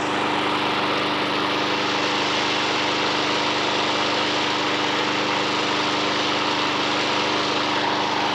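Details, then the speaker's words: Honda HR173 petrol mower sent in as a non-runner with evaporated fuel, started on fresh fuel: steady, even engine note with no misses or surging, holding speed cleanly; normal running. Self-drive handle missing, drive untested. "it's a runner we've had a bit of a touch really all these mowers with a bit of fresh fuel in them they've actually all gone on to start up"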